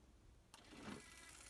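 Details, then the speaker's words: Denon DN-2000F MkIII CD player, bottom unit, tray open test: a sharp click, then a whirring, grinding rush as the tray mechanism runs; a belt is suspected gone, and CD one doesn't open. "I'll see you to opens and there's lots of noise going on now sounds like as a belt gone there and CD one does not open at all"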